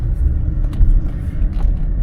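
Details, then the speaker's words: Deep, steady low rumble from the rear while cruising in a used car, nothing sharp above it; owner suspects a worn rear differential rather than transmission, cause unconfirmed. "So yeah, it's got that weird sound in the back."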